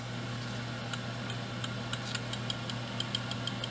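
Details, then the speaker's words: RC brushless motor, after moving one shim from the back to the front: a steady high whine with a light, regular slapping tick. The rotor still has excessive end play, so another, thinner shim is needed. "as you can hear that, it's still slapping in there. Let's go ahead and pull it back off and put another shim on it."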